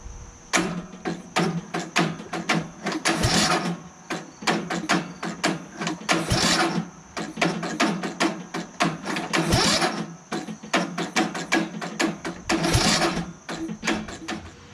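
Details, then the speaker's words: Craftsman LT1000 lawn tractor repowered with rebuilt engine and new battery, battery charged about an hour: repeated sluggish cranking bursts with laboured chugs, never catches; cranking too slow to make good spark, battery still charging. "and now it cranks albeit slowly not enough to generate a good spark to ignite the spark in the combustion chamber to allow the engine to turn over and run you know so we're charging the battery up"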